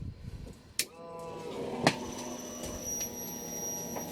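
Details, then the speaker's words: Fuel pump on a Barra-swap build, bench-wired to power during a fuel system leak test: a couple of clicks, then a steady, even high whine with no stutter; the pump sounds just like a 2000's pump and runs normally. "That sounds really familiar. That sounds just like the pump in my 2000. Looks like she's doing good."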